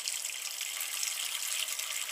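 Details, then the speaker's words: Old toilet cistern refilling after fill valve replacement: soft, even hiss of water filling the tank with no groaning, humming or foghorn noise, float rising and shutting off; the fill valve works quietly. "there it goes. Bow, done. And then if you reflush, there's no Titanic. The Titanic is gone."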